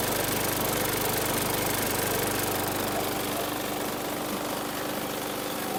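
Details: 2019 Murray push mower, 4.5 hp Briggs & Stratton 450E engine: steady, even drone with no misses or surging, holding constant speed; runs healthy after a no-start traced to a tight, dragging safety brake cable killing the coil.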